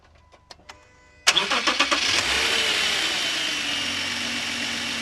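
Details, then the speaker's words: Idle on a 2012 Subaru Outback 3.6R after replacing the noisy idler pulley (tensioner pulley bearing done earlier): starter cranks, engine settles into a smooth, even idle with no chirp or bearing whine from the belts. "We're all back together it's nice and quiet"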